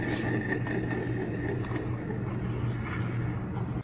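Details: 2013 Chevy Cruze EcoTec with whirring noise at idle and higher speeds, alternator removed and hand-spun: coarse gritty rattle like a box of marbles; internal alternator bearings failed, alternator replaced.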